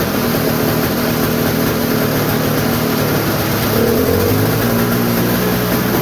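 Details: Toro snowblower sitting about a year, cold start: steady two-stroke buzz at an even speed with no misses, surging or knocks; normal running.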